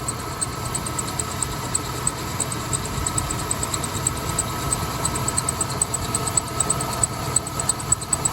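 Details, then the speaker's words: 1988 Ford E150 Econoline van, 4.9L engine, after idler/tensioner pulley replacement: steady idle with a faint fast high-pitched chirp from the front belt drive; much better than before, owner suspects a new belt is needed; not confirmed. "we'll figure it out this little squeak and we might need a new belt but it's a lot better"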